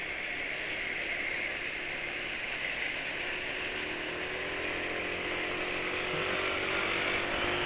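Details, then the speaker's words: Two-stroke motorcycle running on Evalube 2T oil at the start of a ride before top speed and 0-100 runs: buzzy steady high note with a slightly uneven, raspy edge, a rough engine note at take-off; cause unclear. "suara mesin awal berangkat ya selalu situ ih Hey penulis berhenti terus dengarkan suara mesin awal berangkat gak selalu situ"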